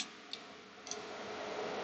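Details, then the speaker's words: XFX RX 580 GPU with a replacement cooling fan spun slowly by hand: two light, dry ticks about half a second apart. The blade is suspected of striking a protruding screw head, possibly from pressing down while spinning; not confirmed. "spins, it's not hitting anything. Sounds like it is. I just don't know if it is or not. I do believe it is striking that screw head."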